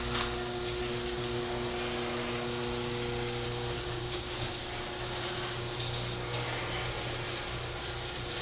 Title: HD200D making a loud noises